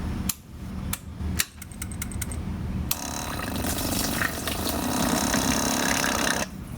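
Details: Yamaha Star 650 motorcycle, tank removed, fresh fuel from a funnel purging old gas: a couple of clicks, then a steady whirring hum with fuel rushing for about three seconds before cutting off; fuel pump priming normally.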